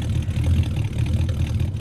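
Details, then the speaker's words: 1973 Plymouth Scamp cold start at 11 degrees in snow: deep, even low rumble with steady beat, no knocks or misses; old V8 settles into a clean cold idle, running like a top with good oil pressure. "She's running like a top. She is running like a top."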